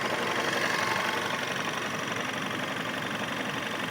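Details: Volkswagen Scirocco 1.4 TSI, 100,000 km, original clutch, hot engine at idle: soft even thumping about four a second like a helicopter from right side of engine; faded with revs, gone when cold; owner suspects clutch or flywheel.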